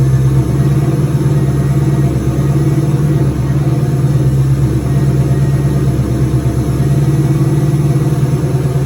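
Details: Turbocharged 2003 Ford Mustang Cobra V8, first start with return-style fuel system, intercooler cold-side pipe disconnected; strong even low rumble, steady beat, no knocks or misses; normal healthy idle.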